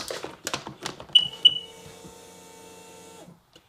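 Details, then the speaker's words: Sea-Doo RXDI jet ski trim system after the trim motor was replaced following water entry through a torn boot: relay clicks sharply when trim is pressed, then only a faint hum, trim won't go up; damaged wiring found in the e-box. "I hear it clicking okay well that is verified so let's see what's going on possibly a fuse"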